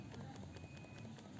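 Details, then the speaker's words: iPhone after a battery replacement, handset being shaken: quick light knocks about five a second. The sound is not from the internals; the new battery is not glued down with adhesive and rattles loose inside the body. "ada bunyi aja dan biasanya bunyi-bunyi semacam ini itu Darimana asalnya itu tentunya bukan dari mesinnya kalau dari mesin sudah konsletnya bunyi-bunyi itu adalah bunyi baterai sebenarnya"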